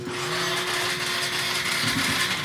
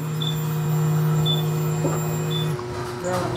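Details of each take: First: Motorcycle that won't start, key on and push-button start with a still-weak battery: thin, labored starter whirring for a couple of seconds with no firing; cranks weakly, no start. Next checks: fuel pump, spark, compression. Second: Non-starting motorcycle, fuel pump at the rear heard at key-on: steady low electric hum for about two and a half seconds, then stops; pump priming normally, judged good, so spark is checked next.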